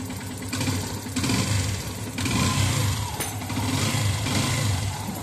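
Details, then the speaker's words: Yamaha FZS V3 single-cylinder engine after timing chain replacement and timing setting (sprocket marks aligned), head cover off: idles and revs smoothly, earlier tractor-like ticking and rattling noise is gone. "उबाट बाट अहिले पहिला जस्तो नइज पनि छैन र टङटङ र टुङटुङ पनि गरे्या छैन।"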